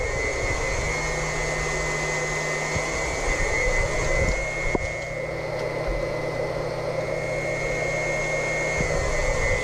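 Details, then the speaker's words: Snowmelt manifold loops being filled with cold Cryotek -100 propylene glycol by a Wayne PC4 1/2 HP pump, supply then return slowly opened: steady pump drone with a thin whistle, crackles and gurgles; air still trapped in the loops. "So we're going to open up the supply first. We'll slowly open up this return. I heard some more air there."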